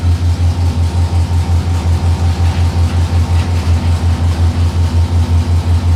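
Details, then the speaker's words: 6.0L LS-swapped S10 V8 at idle: low, heavy idle surging about three times a second, engine shaking; short-term fuel trims rising, both banks even; fuel starvation as rust from the gas tank clogged the fuel filter. "all right they're going up again still yeah they're steadily both of them are pretty even now though she is shaking a bit though"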